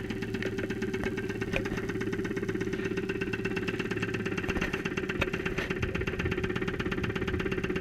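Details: 2001 Saturn SL2 after being run with very low oil, recorded at idle through a stethoscope microphone after two months unused; oil pressure 35-40 psi. A loud, regular, fairly quick knock sounds over the idle; cause unconfirmed.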